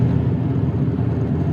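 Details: VW Mk4 (1999–2005 Jetta/Golf/Beetle platform) driving: deep, steady drone, the hum of a worn pressed-in front wheel bearing, which can worsen with speed and steering input.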